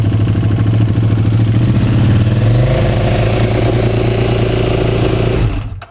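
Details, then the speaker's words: KTM RC8 R V-twin cold-started after sitting since the day before, with a pop heard in the airbox: the idle wanders unevenly, then climbs before it cuts out. The owner suspects an air leak from a torn intake boot, with lots of oil found there. "Et vous voyez quand ça démarre, ça finit enfin le le ralenti monte. Donc ça sent vraiment la prise d'air quoi."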